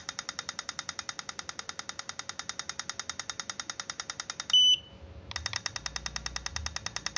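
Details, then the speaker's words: Godox AD300 Pro flash, water-damaged with its board destroyed by an earlier botched repair, now fitted with a custom module, tested in burst mode: rapid crisp clicks about eleven a second, evenly spaced with no dropouts, then a brief beep; normal burst firing. "Ini kalau ditembak seperti ini harus bagus teman-teman ya, harus stabil, harus tanpa jeda seperti itu teman-teman ya. Itu ya bisa dilihat teman-teman ya, jeda ke jedanya bagus sekali ya."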